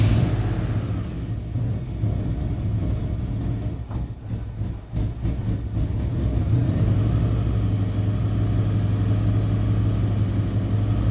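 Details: Ford/Lincoln 4.6L 32V V8 first start after repairing a blown-out spark plug with a threaded insert and Loctite: deep, steady rumble, even throughout, with no ticking, puffing or misses; repair holds, engine sounds healthy.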